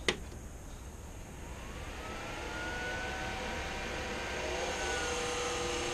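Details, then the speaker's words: Vector 3 3D printer cooling fan before replacement: a click, then the fan spins up to a steady high whine with rough airflow; far too loud, though no blades are missing. "I needed to switch these fans over it was way too loud and annoying okay this is the current noise of it"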